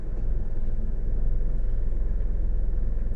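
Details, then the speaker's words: 2012 Nissan Rogue in Drive, after induction service, throttle body and MAF cleaning and idle air volume relearn: low, steady idle rumble with A/C on, no surging or shudder; drastic improvement over previous A/C-engagement shake. "noticing a great improvement drastic improvement actually"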